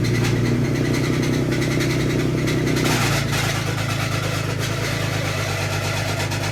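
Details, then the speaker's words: 2018 Toyota Tacoma, first start after replacing a burnt, blown main starter fuse: catches and idles with loud, rough, uneven clatter over the exhaust note; engine judged dead and to be replaced, cause not determined. "Alright, that doesn't sound good. It starts though. It just sounds like it's about to explode."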